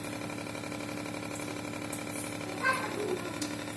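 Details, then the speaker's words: Reverse osmosis water purifier booster pump: a steady buzzing hum with a rattly edge from vibration, the outlet pipe and a loose part shaking against the housing. Fix is to tighten the pump outlet pipe with a cable tie and secure the vibrating part. "यह आवाज को confuse करने की जरूरत नहीं है यह आवाज आ रही है वाइब्रेशन के वजह से"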